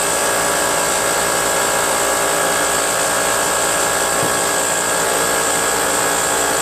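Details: Brute 10-gallon 125psi Briggs & Stratton air compressor with cover and air filter on, after reed valve, gasket, oil change and pressure switch adjustment: loud, steady, even clatter and rush, no missed beats; normal running.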